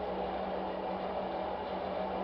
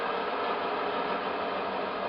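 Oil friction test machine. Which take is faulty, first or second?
second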